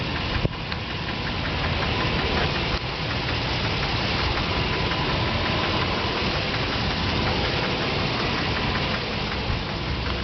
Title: 2007 Nissan Titan engine knocking noise